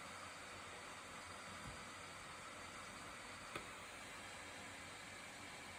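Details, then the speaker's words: 2020 13-inch MacBook Pro base model, just launching Premiere Pro: steady airy hiss of hot air from the underside, no pitch change; cooling fan loud enough to be awkward in a library, even under light load. "도서관 같은 데서 사용하시기에는 조금 눈치가 보일 정도의 소음이라고 생각을 해요."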